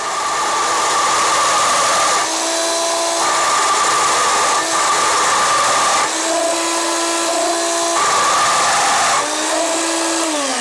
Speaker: I'm gonna crank the volume back up so you can hear the chattering let me know if the sounds is terrible to you as it does to me